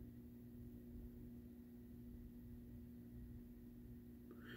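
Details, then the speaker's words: Doorbell chime after a doorbell security camera was installed: steady, low constant electrical hum with no rhythm; suspected to come from trickle current through the camera keeping the circuit closed, fixed with a resistor. "yeah so I installed a door security camera and after I installed it I noticed I get this humming sound out of my doorbell chime"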